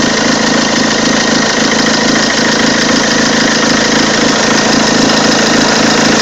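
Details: Peugeot 206 2.0 HDi 90 hp XS, 2003, diesel at idle: odd engine noise, a rapid rattling knock about four times a second over a harsh steady clatter; source unclear.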